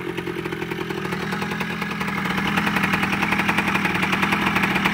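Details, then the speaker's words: Kawasaki KE100 two-stroke idling on choke after winter storage: crisp, even popping at about three or four beats a second, steady and building slightly; normal idle. "that's got a good sound to it"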